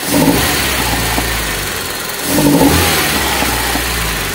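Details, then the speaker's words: Toyota Soluna after replacing spark plug wires, which had caused rough running, limping and a blub-blub exhaust: two clean throttle blips returning smoothly to a steady idle with no stumble or misfire. Engine running normally again. "Oke ini udah normal mesinnya udah nyala dan ini udah normal lagi Ya sudahudah normal lagi dan ini udah enggak merebet nah oke ya"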